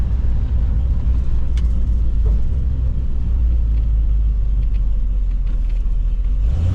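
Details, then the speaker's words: 1977 Jeep Cherokee Chief after new ignition and a rebuilt carburetor: a deep, steady rumble builds smoothly under acceleration with no misfire stumble. Normal acceleration, much improved. "much better"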